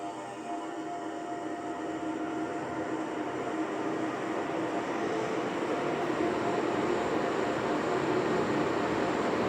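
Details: Climax Deluxe ceiling fan running on a square wave inverter: a steady, even electrical hum at constant pitch with no knocking; the inverter output makes the fan motor buzz.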